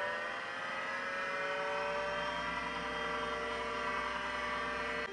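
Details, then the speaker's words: Macintosh 512k with GCC HyperDrive 10 setup, trying a different hard drive on a power supply that may be too weak: steady layered whine comes up promptly at power-on and holds even; drive spins up normally. "I'm gonna turn it on well the hard drive is immediately spinning so that's a good sign"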